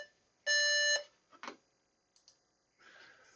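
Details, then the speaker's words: Dell OptiPlex at power-on after fitting a memory module that isn't DDR3L: one loud, high beep of about half a second, with an amber blink code. POST error beep, likely memory. "And in addition to that, we've got a actual auditory beep."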